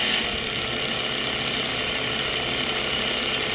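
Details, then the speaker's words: 1987-1991 Ford F-Series wiper motor switched on, linkage not rotating: steady high buzzy whirr with gritty grinding edge, no load changes; motor spins but wipers don't move, owner suspects internal break such as snapped shaft. "Otherwise it just sits and makes the grinding rotational sound. So that's where we're at. No wipers, but not due to the motor not working."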